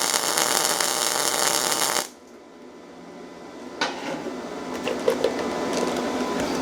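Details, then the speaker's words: Yeswelder MIG-205DS MIG welding steel with no shielding gas: harsh, hissing crackle for two seconds then quiet; uneven spattery arc, weld porous and styrofoam-like, really weak. "see how the weld kind of looks a little bit like styrofoam? It didn't sound right."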